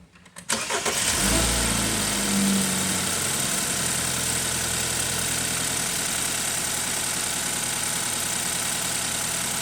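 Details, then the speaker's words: 2012 BMW 528 with N20 four-cylinder, recurring misfire codes on cylinders one and three: cranks and catches cleanly, then idle turns busy with an uneven stumbling beat after a few seconds of running; misfire returns every time codes are cleared. "physically symptom wise we know we are misfiring after a few seconds of uh running and this is what keeps returning um every single time you clear it run it it starts misfiring codes come up"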